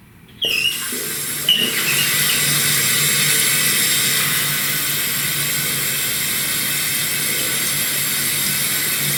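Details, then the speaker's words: Fluidmaster Universal 400A toilet fill valve after cleaning, tank refilling: steady, even high hiss of water through the valve, no spraying yet; valve fails by spraying when water shuts off. "see how the water shooting out there should be no longer"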